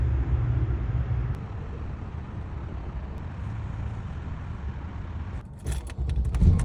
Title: Benz S500 V8 engine Misfires and O2 sensor fault.